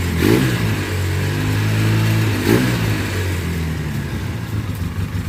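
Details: 2004 Polaris Sportsman 700 ridden after rear brake caliper install and brake bleeding: engine pulls up cleanly as throttle opens and eases back, no missing, knocking or rattling; strong, goes in every gear though a little hard to shift; normal running under load.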